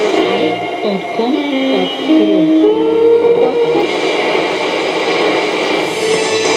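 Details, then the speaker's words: Roberts R707 radio after rebuild, FM switch cleaned to restore AM bands, on long wire aerial: shortwave broadcast with music and tones over steady static and whistles; receiving normally. "the shortwave is working."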